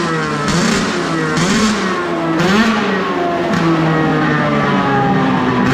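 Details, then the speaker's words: Arctic Cat F7 two-stroke snowmobile blipped with a newly fitted booted add-on, after fuel was swapped because it had snuffed out like seizing. Crisp rising and falling buzz, no misses or rattles: normal, healthy exhaust note. "That sounds good. You know what it sounds like? A race?"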